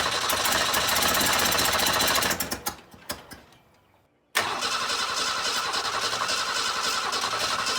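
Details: 1962 Ford Falcon unrun for 25 years, with spark confirmed at every plug and plugs cleaned: steady fast cranking at about three and a half turns a second, a pause, then more cranking without catching.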